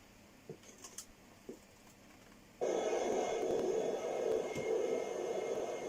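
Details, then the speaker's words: 40-year-old Walkman running on an external power supply without batteries: faint ticking, then a sudden harsh hiss and crackle with a buzzy midrange from the speaker; noisy audio output, cause unknown. "Lots of strange sounds coming out of this. Can you hear that? Strange sounds. Very strange."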